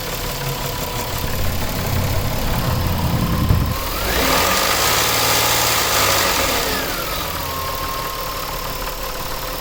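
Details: 2000 Nissan Maxima, 203,000 miles, warm engine at idle: rough regular knock about three or four a second under a gritty grind; alternator and AC compressor fine, owner suspects a bad pulley or timing chain, unconfirmed.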